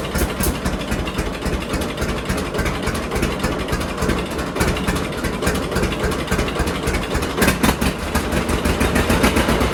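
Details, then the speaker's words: John Deere D two-cylinder tractor after both Autolite plugs were cleaned and gapped to 0.030 in; lumpy pop-pop idle near 220 beats a minute with no dropped beats, misfire gone, no backfires. "Say what you will, but I think that's running a lot better. I don't hear it missing at all anymore."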